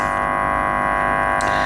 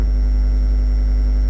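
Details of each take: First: Car amplifier with its gain set deliberately high, subwoofer disconnected and test leads across the outputs, playing a 50 Hz test tone: a steady, harsh buzz at one pitch with no gaps, which is the amplifier clipping from excessive gain. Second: Car audio subwoofer amp gain turned one click down from where the faintest fuzz appeared at the top of the wave: pure, steady low test tone with no fuzz, clean and unclipped.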